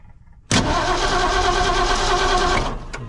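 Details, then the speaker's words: 1968 Ford F100/F250 truck being cranked: starter churns unevenly for about two seconds but never catches; no fuel is reaching the carburetor, so gas is poured in to get it started. "look at that forward that's all it was she just ain't got gas up to her yet and uh hopefully it'll start"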